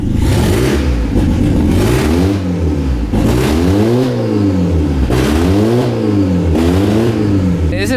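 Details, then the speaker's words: Engine blipped repeatedly after test in drive/reverse, idling slightly unsteady and wanting to stall; hollow wind-like rush on each rev from damaged, worn-out muffler and resonator. "Ese ruido raro. Bien, ese que yo escuchaba como, no sé, como viento, como algo ahí."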